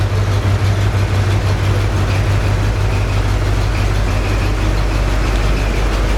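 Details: 1981 Pontiac Firebird Trans Am started after years in storage, following cylinder oiling, fuel filter replacement and gas in the carb: deep, steady, even rumble at smooth idle with no misses or knocks; running properly on fuel.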